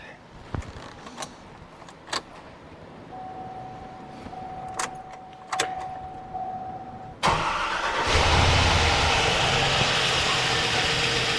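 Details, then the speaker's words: 2005 Chevy Silverado 5.3 with over 400,000 miles, first startup after timing chain, camshaft, cam bearings, lifters and top-end rebuild: cranks, then busy idle with light rapid top-end ticking before oil pumps up, no squeak; lifter/rocker tick on first start after rebuild. "Right now we got a bunch of rocker noise, but it should change as everything gets pumped up. Good news is we had no squeak."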